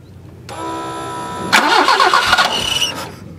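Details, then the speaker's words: 1974 BMW 520, manual with carbs and points, with an intermittent no-crank from the key: the starter whirs steadily, then the engine catches and fires; it suddenly cranks normally now, cause of the intermittent fault still unknown. "down that cable and yet it won't start and if I can short it to start it"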